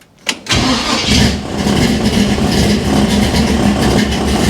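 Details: Hot rod with turbo 350 transmission, new camshaft, first start after a build, in park: brief crank, catches at once and settles into a strong even idle with no misfire or knock; clean first start.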